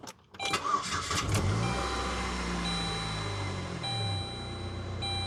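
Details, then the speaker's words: Saturn car that sat in a barn for about a year and has also been sitting all day, starting on its own battery: it cranks briefly, catches at once and settles into a steady idle with no battery light on. It starts and runs fine. "Okay. No battery light on, no nothing. So my prediction is it's going to stay running."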